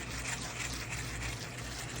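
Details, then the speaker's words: Fishing baitcasting reel cranked with a rough, gritty steady grinding from worn crown gear and pinion teeth. It had been left unused until replacement parts were found. "Tava sem usar porque Coroa e Pinhão desgastaram e não achava peça aqui no Brasil"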